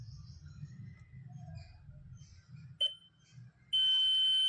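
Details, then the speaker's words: Continuity test on a 4440 amplifier board: the multimeter gives a steady beep between pin 11 (positive lead) and ground, where no beep should occur, so the 4440 amplifier IC is judged faulty (shorted). "तो इस पर देखिए लगाने पर जो multimeter है beep की आवाज कर रहा है तो इस स्थिति में आप कह सकते हैं आपकी यह जो IC है वह खराब है।"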